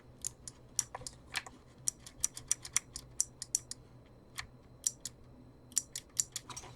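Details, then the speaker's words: Broken Dustbuster-type handheld vacuum, opened up with battery refitted: sharp, dry relay clicks at irregular intervals as the switch is operated, with no motor hum behind them; the relay engages but the motor never runs, and the unit is judged beyond repair. "let's try to pop our battery back on oh cool now if I when I switch the switch you can actually hear the uh relay engaging"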